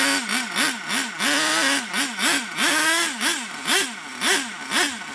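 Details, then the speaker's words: HPI Savage SS nitro engine after years in a shed, crankcase full of PB Blaster/3-in-1 burning off, run on floor: sharp buzz climbing and falling with throttle blips, picking up cleanly, deep and throaty; normal running. "it started to run really well don't forget the whole crank case and everything it was fill up with PB Blaster three in one or probably a load of old Nitro but it actually runs really well and it sounds a nuts sounds really deep and just like throaty"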